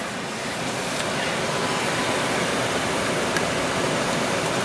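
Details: Chrysler van original blower motor running after no-blower repair, drawing about 20 amps on full blast and 5 amps on low: even, steady rush of air with no ticking, squeal or wobble; normal blower operation.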